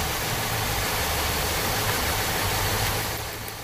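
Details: Warm petrol engine idling with a slightly uneven, loping low thump from one dead cylinder; disabling that cylinder in a power balance test causes no change in rpm or vacuum.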